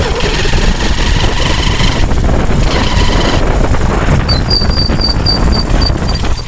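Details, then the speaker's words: Hero Shine motorcycle, engine rebuilt elsewhere, before repair: loud heavy run with gritty crackling mechanical rasp under exhaust note; worn primary gear, later replaced. "आपको करीब में ये sound मेरे मित्र जितना अच्छा होना चाहिए उतना अच्छा नहीं है वो साउंड है ठीक है अब हम इसको चला के दिखाई हैं की इसमें प्राइमरी गियर का साउंड कैसा है"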